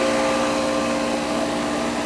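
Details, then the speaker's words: Goodman AC condenser after replacing the bad compressor capacitor, thermostat turned all the way down: steady, even hum with constant fan rush, no buzzing, clicking or stalling; compressor now starts and runs normally with the fan. "Compressor started that time. So it should be, I pushed the thermostat all the way down. Yeah, it's working."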